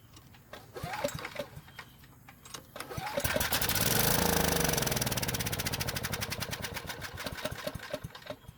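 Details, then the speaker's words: Briggs & Stratton generator that sat unused and won't start: after fuel is poured into the carburetor throat, a few weak pops, then it runs a few seconds at a fast even beat. Carburetor fault. "fortunately it ran off the gas that i put into the carburetor's throat which is great news"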